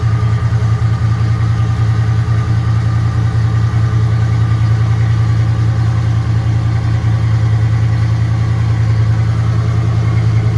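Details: 1996 Ford Bronco V8 with 248,800 miles, cold-started after sitting all winter and 2-3 years in one spot, settles into a low, steady rumble with an even beat and no knocks or ticks; a healthy cold idle.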